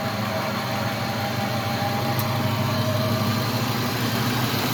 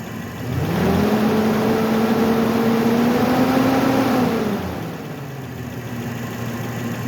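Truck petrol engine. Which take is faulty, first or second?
first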